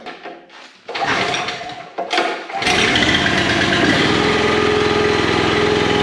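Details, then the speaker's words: Commercial log splitter small engine after hydraulic repair, starting to warm up before cycling: a few pull-start tugs, then catches and settles into steady even running, no misses or knocks; normal running. "I'll start it up I'll let the the engine warm up a little bit and then we'll cycle this"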